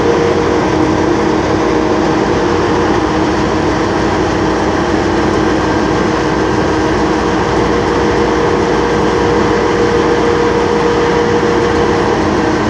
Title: [METRO] H22 défaut fermeture porte+bruit moteur